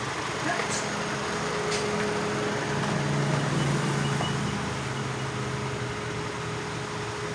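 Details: Hyundai Elantra after a no-crank no-start problem; low, steady engine idle holds evenly with no knocking, stumbling or squeal, sounds like it's running fine.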